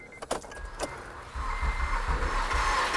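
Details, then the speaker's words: 2008 Acura TL, J32 V6 that died on the highway: a few clicks, then light, quick, even cranking with no compression rhythm and no catch; cam gears not turning, engine spins free. "yeah that's not moving that's not good well we know what we've got to do next i'm going to need to remove the timing covers and everything here to find out well what broke that led us to the situation where these cam gears are not spinning engine won't run otherwise"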